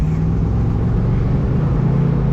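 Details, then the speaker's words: 1971 Mustang 302 V8 driven at full throttle: a deep roar with a ragged, uneven beat, missing badly under load. The carburetor and a vibration-loosened connection are suspected. "Oh my gosh, full throttle is just missing really bad. Gets up there though."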